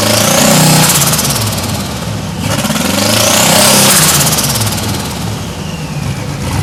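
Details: 1992 Chevrolet Silverado, 5-speed, with a turbocharged 5.3 LS V8 swap: loud revving with an uneven, stumbling beat under the roar; at least one cylinder suspected misfiring, revs only to about 3800 rpm on the tach, rod knock suspected.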